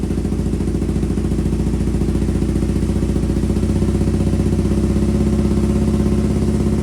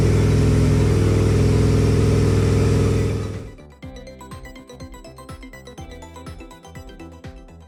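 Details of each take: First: 2002 Aprilia RSV V-twin barn find, stored 8 years, first start on new fuel system after priming: rough lumpy thudding at fast idle with uneven beat, owner believes running on one cylinder before it cleared; cause unconfirmed. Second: 2002 Aprilia RSV V-twin first start after service with fresh oil and filter: deep even throb at steady idle, no rattles or misfires; engine sounds healthy.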